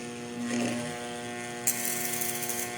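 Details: Trooper angle grinder/polisher that sparks heavily and loses power, armature tested on a growler: steady mains buzz, then hacksaw blade chattering fast against the core; shorted armature coil.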